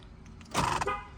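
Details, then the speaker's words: 2006 Toyota 4Runner right-side door lock actuator, working normally unlike the faulty left ones: one short crisp electric whirr ending in a solid clunk, no grinding or repeated cycling; normal door lock actuation. "and then for the uh right side it works normally so if I press unlocked there you go you see how it stays"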